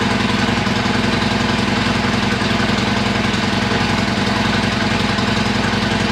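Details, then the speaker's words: Harley-Davidson Iron 1200 after dead battery (switch left in accessory position) charged: starts and settles to even loping V-twin idle, no knocks or misses; sounds much better. "let me see appears to be that sounded much better"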